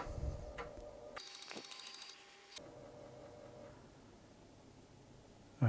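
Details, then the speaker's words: Amiga loading a copied Kickstart 1.3 floppy: short run of quick, even ticks and buzzing as the head steps, then settles; normal seek, sounding promising. "so let's just put the copy in here and just make sure she does what it's supposed to do sounding promising there"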